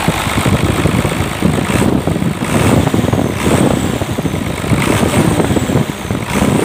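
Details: Hino Lohan diesel truck that stalled when braked and needed throttle to start, after injection pump (bospom) adjustment: catches and settles into a loud steady clatter with slight surging, idling without stalling; normal start and idle.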